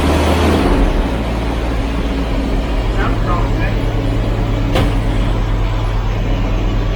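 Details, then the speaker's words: 39-year-old Jaguar XJS V12 after new spark plugs (cross-threaded plug holes): uneven, lumpy idle with lazy stumble; still not firing on every cylinder of one bank, third plug suspected; cylinder misfire. "all right it's still not running on every cylinder on this bank let's take out the third plug on here because that is the one that"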